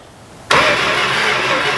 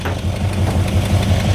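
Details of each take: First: 1970 Dodge Coronet 500 with 383 big block, not started in about 20 years, cranked with the key off: sudden start then strong, steady cranking with an even beat and no grinding or clicking; the starter turns the engine fine. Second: 1970 Dodge Coronet 500 big block 383 started after over 20 years, not yet hot, backfiring through carburetor, timing unchecked: rough V8 idle with quick light ticking through the exhaust rumble; tapping lifter, owner hopes it frees up when hot.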